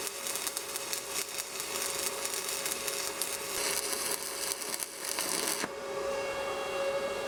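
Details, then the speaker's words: Budget Sepaspe Arc 200 stick welder laying a weld on plate; steady even crackle like frying bacon, no popping or sputtering until arc is pulled off; smooth stable stick arc. "I tell you what, this thing welds stick as good as any stick machine I've ever had."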